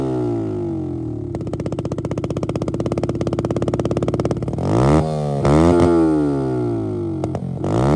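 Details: Healthy running of a Yamaha YBR-based bike with EFI conversion, after fixing error code 12 (crankshaft position sensor fault, sensor itself fine) and passing MOT: steady even idle pulses, then clean rising and falling revs with crisp throttle response.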